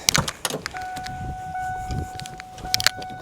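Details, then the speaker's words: Wrecked 1993 Mustang Cobra after reconnecting fuel pump wires knocked off in the tank: thin steady whine at key-on among clicks and handling noise as the in-tank pump primes normally before start. "So be still start. Oh yeah, I hear the fuel pump now."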